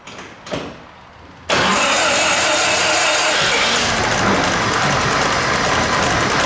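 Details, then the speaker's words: 1905 Mitchell D2, 300 CI inline four-cylinder, 35 HP, 3-speed manual, low mileage, once sat in a flood; owner worked to eliminate vacuum leaks. Cranking bursts, then catches into a steady, loud, even idle; sounds perfect. "You spend a lot of time to try to make no vacuum leaks, and you try to make it run perfect. It sounds perfect."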